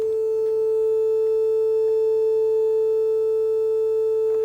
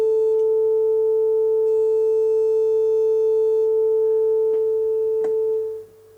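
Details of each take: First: Telefunken Operette 6 tube radio with added Bluetooth module, 400 Hz test tone heard on the left channel only: sounds rough and buzzy instead of pure; the distortion disappears when two pins on the board are shorted, pointing to the stereo-to-mono wiring. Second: Telefunken Operette 6 radio after added Bluetooth module: 400 Hz test tone over Bluetooth, previously distorted and left-channel only; shorting two pins on the board removes the distortion, leaving a pure steady tone with no buzz or crackle.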